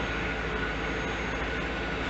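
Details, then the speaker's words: 1992-1996 Chevrolet Corvette C4 LT1 after power steering pump replacement and pulley reinstall: steady, even engine hum while the wheel is turned, no whine, whereas it used to whine as soon as turned on; normal power steering pump operation. "no winding anymore i used to whine soon as i turned it on"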